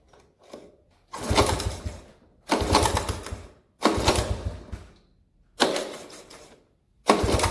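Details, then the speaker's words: 1983 Honda ATC 70 three-wheeler, petcock not holding fuel, some gas in tank, choke on: five kick-start bursts about 1.5 s apart, each churning briefly then dying without firing; cranks but will not start. "Not sure. Nothing. So, no go for the 83."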